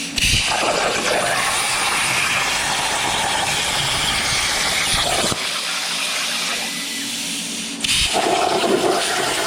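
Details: Everlast CNC plasma table cutting steel bumper brackets: loud steady hiss that stops and restarts between cuts, no sputter or popping; normal plasma cutting.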